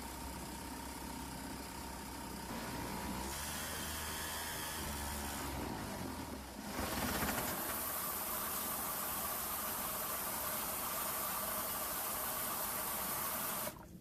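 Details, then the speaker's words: Vintage 1971 Sears ESKA 5hp two-stroke outboard under restoration, after cleaning fuel tank, new spark plug and high-speed tuning: buzzy steady raspy drone, revving up and holding; longest clean run so far. "okay that was the longest one so far and I tuned it a little bit in high speed"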